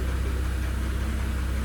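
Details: 2017 Porsche Cayenne 3.6 biturbo, 177,000 km mostly city, warm idle: faint regular knock inside the engine; after an oil change to 5W-40 and an additive it vanished, then returned; cause not found.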